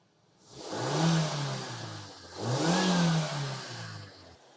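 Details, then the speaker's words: Maruti Suzuki SX4 that cranked but wouldn't start, no check engine light, after replacing faulty ECM; two smooth rev blips rise and fall cleanly with no misfire or hesitation; engine now starts and revs healthily. "Car सही ढंग से शुरू करना गया।"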